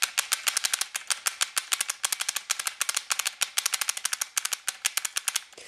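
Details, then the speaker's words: Sharp rapid solenoid clicking, roughly three per second in uneven bursts with gaps, skipping shots intermittently; owner suspects the micro switch is faulting but is unsure. "first I'm just going to show the solenoid clicking cuz you can kind of kind of hear it"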